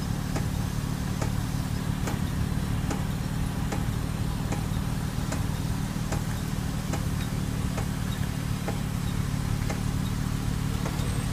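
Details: 2000 Toyota Avalon with a light, regular tick about every 0.8 s that tracks wheel speed. It starts after about 25 minutes of driving and not in reverse, and comes from the rear parking brake drum behind the rotors; it has since been fixed.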